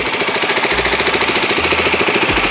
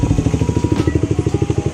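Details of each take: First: Kawasaki Ninja 250 SL Mono (KLX 250 engine), ran out of oil: harsh metallic clatter from the cylinder head, steady with engine speed, heard with exhaust blocked; tensioner checked fine; camshaft and cam journal wear. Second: Kawasaki Ninja 250 SL Mono (KLX 250 engine) after repairing engine head damage blamed on low oil: crisp, regular single-cylinder pops about eleven per second, no ticking or rattle; runs smooth and healthy.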